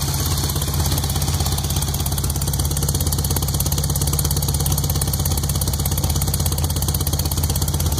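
Steady idle with a heavy low rumble and a regular knock pulsing through it, about three per second; fresh rebuild knocking, cause unclear.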